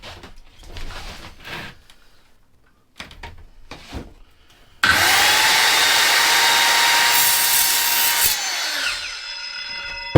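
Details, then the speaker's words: Evolution circular saw cutting steel in workshop; spins up to high whine, screams evenly through the steel about three seconds, then winds down cleanly; clean cut, healthy. "Oh, I have to say, I'm impressed with that. That's clean as anything, that is."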